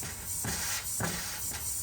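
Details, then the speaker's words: 2014 Chevrolet Traverse 3.6L no-start, engine pulled, leak-down test: loud air hiss surging in pulses about every half second as air bleeds past intake valves that won't seat, reading almost in the red. Intake valve leakage. "My intake valves are leaking, so I'm a little past. I'm almost on the red side."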